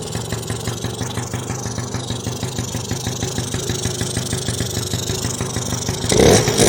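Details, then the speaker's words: 1986 Yamaha Razz scooter two-stroke, after carburetor rebuild fixing a float valve overfilling and gushing fuel: steady even putter at idle, no misses or hunting, smoky but no leaks; normal idle. "don't hear a leak or wow yeah I think I've smelled some smoke here I don't hear a leak man I don't see the problem yeah it's Smoky but there's no leaks"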